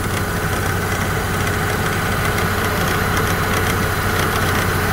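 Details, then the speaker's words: Opel Astra G idling with AC and fan on maximum for electrical load: uneven metallic rattling chatter from the ribbed V-belt drive, loudest near the wheel, as the old, slack tensioner visibly shakes; the tensioner needs replacing. "là vous pouvez entendre de telles vibrations du tendeur de courroie à nervures multiples (à nervures en V) O! Derrière la ceinture on peut la voir trembler (taraudage du tendeur) égal à des bruits, qui sont très gênants"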